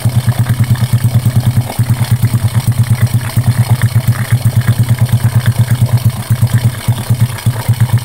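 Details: Honda Karisma after oversize piston replacement and valve setting (previously white smoke and rough piston noise): even, steady single-cylinder thump about three beats a second, no knocking or ticking; clean healthy idle.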